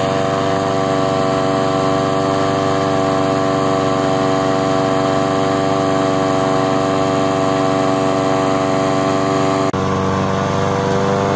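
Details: Honda HRN 216 lawnmower after fixing rough idle and surging by cleaning the carburetor pilot jet: steady even hum with no hunting or rise and fall in speed; runs smoothly, normal after repair.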